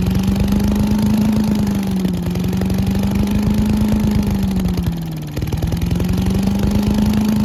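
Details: Old Giant Vac leaf blower with a 1982 8 hp Briggs engine, long stored outside, on a cold day. After water was cleaned out, it holds a steady buzzing note with slight dips as the throttle eases: normal running.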